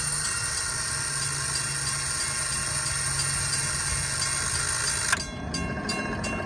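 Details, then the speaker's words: Railroad crossing gate mechanism on low voltage/amperage: steady hissing hum, then sharp clicks and rapid pulses as it energizes and de-energizes; the bell mechanism clicks but lacks voltage to drive the hammer to the gong. "you can actually hear the mechanical bowel up there clicking there's not enough voltage to actually bring the hammer to the gong and sound it's not able to hit the calm"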